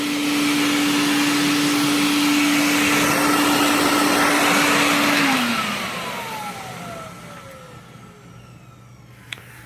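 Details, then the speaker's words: Steady, smooth whine at even pitch from an IEC Compact Electra C8 vacuum on the floor just after a new motor install, with strong airflow, then a clean wind-down without grinding. The old motor had ground badly and lost performance; healthy now. "that's it that's the noise to make so much better hear that airflow not a bear it sticks to the floor"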